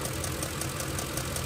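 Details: 2006 Ford F-150 with the 5.4L 3-valve Triton V8 at idle; rapid, even tick in time with firing, similar to an exhaust manifold or roller follower tick; loose early M16 spark plug backing out, with the pulse felt at cylinder six's coil.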